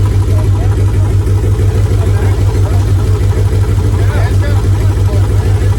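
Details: Free Mitsubishi 3000 GT SL (front-wheel drive) V6 project car: a rough, uneven low idle with a lumpy pulse about three times a second; not running on all six cylinders, with two coil packs to be replaced.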